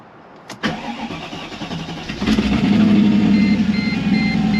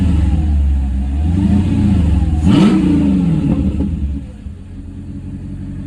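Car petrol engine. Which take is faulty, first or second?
first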